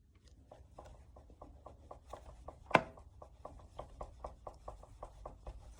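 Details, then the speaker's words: New Transition Spire Carbon GX mountain bike, front fork strapped: steady sharp knocks about four a second as force is pushed through the top of the rear shock, isolated to the rear shock or lower shock linkage, also felt through the frame. "Lots of noise. that knocking and that's just from my force through the top of the shock."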